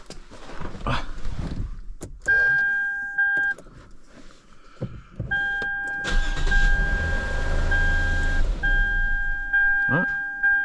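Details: Vehicle that previously would not start at all, with no codes and a good battery, started after smacking the starter: door chimes, key jingle, brief crank, then it catches into a steady running engine.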